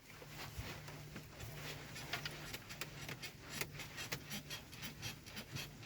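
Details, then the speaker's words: Hyundai Solaris in its second year, parked car rocked by hand: soft irregular creaks and ticks from the door rubbing its rubber seal; pressing the door harder stops it; fixed by adjusting the door; door seal creak. "это скрипит дверь и то же самое скрипит на резинке если и придавить сильнее рукой то этот скрипт пропадает"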